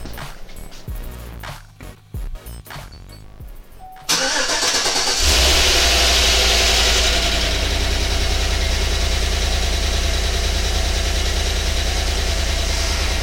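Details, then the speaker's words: GM V8 first start after installing a DOD/AFM delete kit and reinstalling the heads: starter crank, then the engine catches and settles into a steady, very smooth idle with no knocks or ticks; normal. "I sure does very smooth as well"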